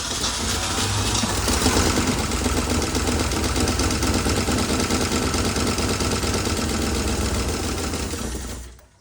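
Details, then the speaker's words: 1963 Ford Fairlane 500 V8, claimed 41,000 miles, first run after rescue from sitting: lopes unevenly at slow idle with a ragged stumbling beat before shutting off; runs rough, cause unclear. "Well, she runs. Sounds like crap, but she runs and woo-wee. It's nasty."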